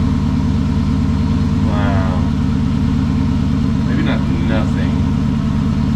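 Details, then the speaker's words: 2006 Dodge Magnum after swapping the suitcase muffler for two pass-through Magnaflows, full exhaust hooked up with rear mufflers, not yet warmed up: smooth, even low idle rumble with no drone, rasp or leak ticking; quiet, healthy exhaust. "oh my god it's absolutely quiet it's like i did nothing"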